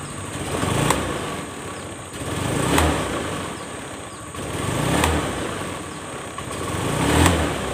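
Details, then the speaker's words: Honda Scoopy FI injection scooter, complaint of delayed throttle and weak pull: each blip swells slowly over about two seconds and sags back, revs lag the throttle; given full service and CVT upgrade. "Oke, telat guys ya. Jadi gasnya itu telat sekali ya."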